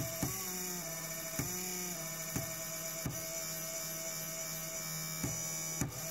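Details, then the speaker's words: Failing hot end cooling fan on a new Creality Ender 3 printer: a buzzing vibration whose pitch jumps after each tap as its speed keeps changing, until it finally runs smoothly at full speed. "you can see you tell from the pitch that it is also changing speed and there finally after almost a minute of tapping on it is running smoothly and up to speed like it should"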